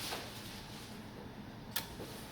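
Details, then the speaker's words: Samsung PN58B550T2F plasma TV that went off after a big pop: on plugging in, two sharp relay clicks about 1.5 s apart as it pulls in then drops out and turns off; a power board fault. "so I hear the really clicks then click back we hear the sound then goes"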